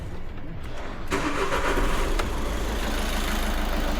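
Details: Audi A1 diesel just after replacing the faulty injector (electrical malfunction): the starter catches quickly and the engine settles into a fairly even, low idle clatter. It no longer runs rough and shows no fault codes; a healthy start.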